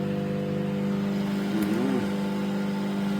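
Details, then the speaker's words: Microwave test run, heating water: steady strong mains hum with constant buzz over fan whir, no arcing or crackle; magnetron and high-voltage transformer heating normally. "Fan spin and everything. Yeah. So that is the magnetron. That is what gives it the heat."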